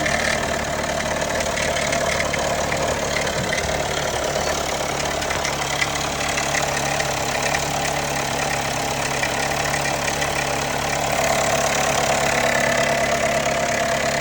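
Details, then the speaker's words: 2021 Jeep Wrangler Unlimited Sahara JL 2.0L on a cold start: a busy metallic rattle over the idle that eventually goes away. Both timing chain tensioners were later replaced; the tech noted a heat shield can sound similar. "Okay, every time I start the Jeep, it makes this noise. Just wondering if it's normal."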